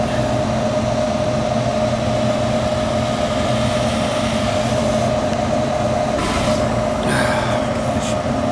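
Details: Gas furnace after cleaning the flame sensor and burner: steady burner roar with a faint constant tone, no puffing or cutting out. Gas pressure reads 13 in and about 7 out, which is low and needs setting higher.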